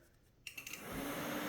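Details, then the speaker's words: 2007 Kawasaki KLX, radiator fan run by grounding the new override wire added for a handlebar switch: a few clicks as it kicks in, then a smooth, even whir that settles quickly; the fan runs properly. "hear the fan, it's running. So now we can hook this up to the handlebar controls."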